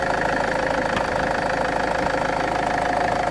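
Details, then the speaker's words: Land Rover Freelander 2 SD4 2.2 diesel that was noisy under load/boost, warmed up and revved after a hose repair: steady diesel note, even beat, no hiss or whoosh; normal revving with the noise gone. "so I'm going to rev the engine and uh you guys gonna see that there is no noise as you have seen with no noises"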